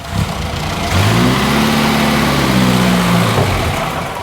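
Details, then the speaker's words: An Austin Healey Sprite, cold-weather start after brake work: the engine catches within a second on a little choke, revs to a steady, slightly raised hum and settles. A clean, normal cold start. "damn and she fired right up need a little bit of choke because it's cold outside"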